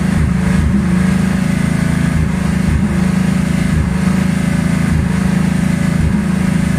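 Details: 1984 Ford Mustang 5.0 V8 idling roughly, low drone stumbling about once a second; primary 12-volt ignition circuit failing, pickup coil and module already failed, causing misfire.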